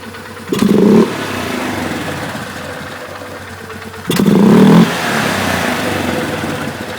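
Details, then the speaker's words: 2011 Polaris Sportsman 500 HO running with airbox lid removed: two quick throttle blips with soft hesitation and hollow echoing intake roar; missing lid causes a slight bog, not recommended. "So it actually has a little bit of a bog that way. You also hearing the echoing effect of being in an open airbox without a lid. So I wouldn't really recommend running it like that."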